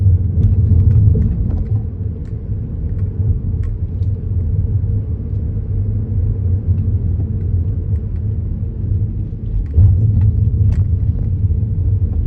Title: Kia niro clunking noise going over speed bumps.